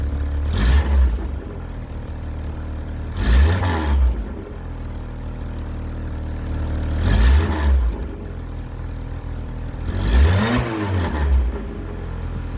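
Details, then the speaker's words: 1981 VW Rabbit with swapped 1.8 engine, before new 4-2-1 downpipe and muffler: four rev bursts with deep rough chuffing rumble swelling with throttle; owner suspects the front exhaust manifold is leaking. "it seems like the front manifold is leaking before we get started let's listen to what it sounds like"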